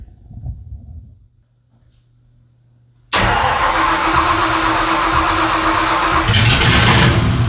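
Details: 2000 Ford Ranger with swapped 302 V8 turbo, first test fire after fixing ignition with smart coils: silence, then it catches at once, settles to an even idle, quick rev blip; starts and runs cleanly.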